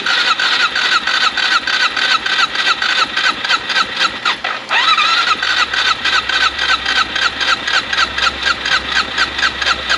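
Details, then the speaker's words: AJP PR7 single-cylinder after engine-damage rebuild, first start on a weak battery: rhythmic cranking about four times a second, then it catches but only keeps running with throttle held; hard starting. "will noch nicht angehen"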